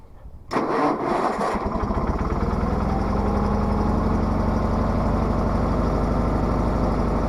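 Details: Case 446 garden tractor started at about 35°F after maintenance: short crank, quick catch, then an even steady idle that holds without stumbling; engine starts and idles normally.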